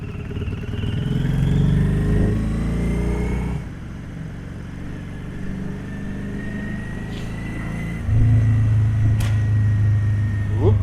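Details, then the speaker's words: Motorcycle ridden through the gears, engine note stumbles and drops out unevenly under load, intermittent misfire; owner suspects electrics despite new spark plugs, rectifier and alternator and checked wiring. "a bit of a misfire. Yeah, that's the thing. I still got an issue with electrics, you know."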